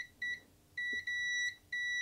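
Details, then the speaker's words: Commodore C16 power connector under a multimeter continuity test with the pin held in; the beep cuts in and out as the pin shifts slightly, a bad intermittent contact that was later resoldered and cleaned. Intermittent contact in power connector. "so i have the pin on all the time but if i move it a little bit without lifting it you hear it breaks the connection"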